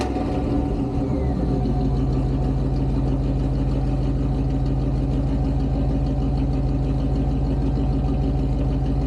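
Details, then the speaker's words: 1988 Pontiac Firebird with shorty headers, Edelbrock 1406 carb and Performer intake, just revived after a long time parked. Deep, steady, even idle rumble with no ticks, misses or knocks; normal healthy idle. "Yeah, you know, as pops up as the throttle body is going to get. So, it runs pretty good."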